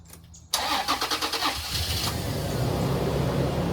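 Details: Toyota 4Runner with crank-no-start complaint, fuel pump heard running, out of gas suspected; starter cranks about a second and a half, then the engine catches cleanly and settles into a steady idle. Starts fine.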